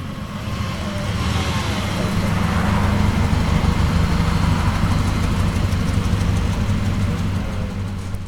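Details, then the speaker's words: Honda CR-V with B20 engine, one cylinder at 80 psi compression: uneven, stumbling idle with a steady missing exhaust beat. Constant misfire, worsening fuel mileage and weak uphill pulling, consistent with a burnt exhaust valve; head to be removed. "That's the sound of 80 psi compression doing work. Just misfires constantly, but your boy's just been ignoring the fact because it wasn't horrible at first."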